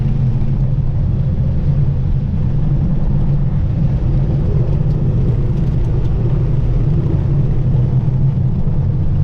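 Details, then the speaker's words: Renault 4L with prepared Cléon 1108 cc engine after cylinder head rebuild, on road uphill: deep steady exhaust drone pulling evenly, no knocks or misses, revs freely, more muffled and throaty than before, now climbs the hill in third; healthy under acceleration. "s'entend au pot d'échappement le bruit est plus sourd et plus rock ça je pense que c'est dû au fait qu'ils aient plus d'air qui soient aspirées qui est la meilleure circulation de l'air"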